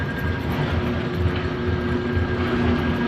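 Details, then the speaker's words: Brunswick A2 bowling pinsetter single-phase motor, reported not running with its middle contact piece missing; runs with an even steady hum and faint constant whine, no knocking or grinding, not running hot, maybe slightly slow; normal motor run. "motor's running little [Music] slow doesn't sound [Music] bad I think it just looks slow"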